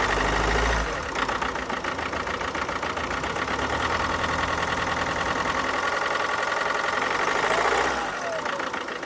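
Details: 2011 Alfa Romeo Giulietta II 1.6 diesel (940A3000, 105 hp), 312,000 km: uneven idle beat, about three or four pulses a second with a dip on one cylinder; one cylinder has no compression, possibly valves, piston or head gasket.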